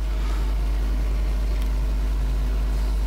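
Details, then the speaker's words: New ASUS i5 desktop feeding speaker out through a small mixer to Yamaha HS5 studio monitors. A constant deep mains hum with a faint buzz on top, never changing, is a ground loop problem. "the point is that the computer from speakers out is going to my little mixer up there and from the mixer it's going to the yamaha monitors and the noise it's terrible and i can tell you i tried everything to get rid of this noise"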